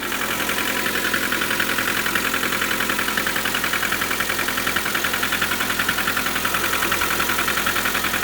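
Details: 2019 Lada Granta FL, 3,500 km, morning cold start at -14 °C, petrol smell: steady cold idle with fast even tapping three to four times a second over the engine; knocking of unknown origin.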